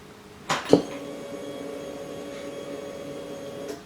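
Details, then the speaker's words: Yamaha Grizzly 700 ATV during fault-finding, key turned on. A click is followed by an even hum of about three seconds that stops cleanly, which is normal fuel pump priming. "donc du coup je tourne la clé on va voir s'il fait du bruit déjà"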